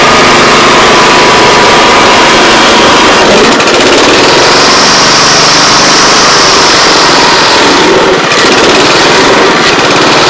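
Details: Honda Harmony 215 SX mower that sat outside for years, after a carburetor cleaning, cutting grass: steady, even single-cylinder buzz holding speed under load; normal running under load.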